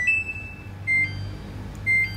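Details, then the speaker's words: Samsung washing machine not spinning: three short high beeps about a second apart over quiet hum; dE door error code, caused by a faulty door magnet switch, bypassed by jumpering. "Kalau De itu pasti door error teman-teman ya"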